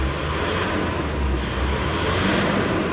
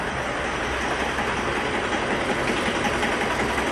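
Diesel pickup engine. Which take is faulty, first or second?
second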